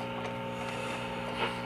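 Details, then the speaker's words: 1947 Sparton model 101 AA5 tube radio tuned between stations: a steady low buzzing hum under faint hiss. Aging filter capacitors are letting hum through and need replacing. "but we could tune it where there's no station and uh if you can hear that it does have a h to it slight filter capacitor H so that'll need to be"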